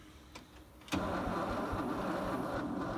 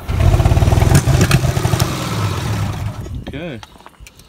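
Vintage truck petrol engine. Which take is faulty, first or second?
second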